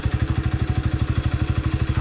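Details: Childhood two-stroke moped after fitting a new throttle cable and handle: even, steady idle with a regular low pulse about ten beats a second, no hunting or rise. Healthy.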